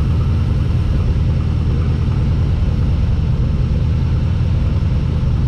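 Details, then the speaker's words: XG ute with LS1 V8, first start in the car with new carburettor and custom full exhaust, oil pressure present: deep even rumble, loud exhaust, no misses or knocks; normal running. "gave it that's loud that's awesome that's what you want you want quite an idol yeah loud up top"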